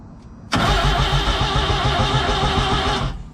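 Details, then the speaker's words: Suzuki Samurai with new header/turbo setup, first start attempt: starter churns steadily about two and a half seconds without firing; spark plugs installed wrong and a red wire left unconnected; crank no-start. "so i didn't turn on the first time because eddie didn't put the spark plugs the right way"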